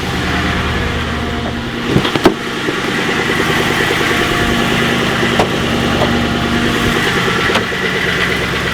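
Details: Ex-police Ford Crown Victoria P71 V8 at idle, hood open: a light, quick ticking knock from one side of the engine, strongest when cold right after starting and much weaker later. Source unconfirmed.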